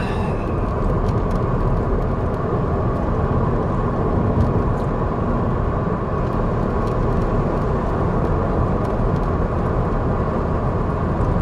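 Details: 2008 VW Jetta 2.5L after replacing ignition coil packs with Bosch units, following a cylinder 1 misfire code: steady, even low drone lugging in 5th gear around 25–30 mph, no stumble, miss or clunk; engine pulling cleanly.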